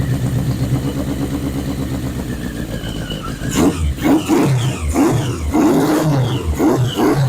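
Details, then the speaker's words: 1981 Yamaha Maxim XJ650 four-cylinder, first start after 20 years unused, old oil, carbs dusty but sound, choke possibly inoperative: slightly lumpy idle, picks up cleanly on hand-throttle blips with no knocks or pops; running. "but success we got it running didn't have to do hardly any wiring at all"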